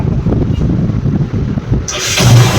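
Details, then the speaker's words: Bajaj Pulsar 135 single after repair, tappet cover refitted: short crank, then steady even idle with no knocking or ticking; sound now perfect. "यहां पर sound सुन पा रहे हैं। एकदम जो है परफेक्ट हो चुका है।"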